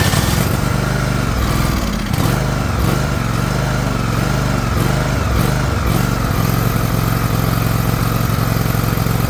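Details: Liquid-cooled Kawasaki twin, John Deere LX178 mower, after fuel filter change: loud, lumpy run with the beat sagging and catching every second or so; carburetor flooding over badly, leaking fuel onto the muffler.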